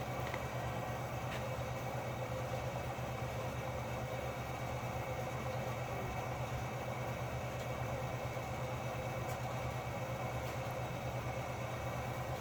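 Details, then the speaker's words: Espar hydronic coolant heater newly installed on 2012 VW Golf TDI, start-up: steady even whooshing jet-like roar over low hum, no misfire pops or surging; burner lights and runs normally. "And it's pretty funny. It sounds like a jet engine when it fires up."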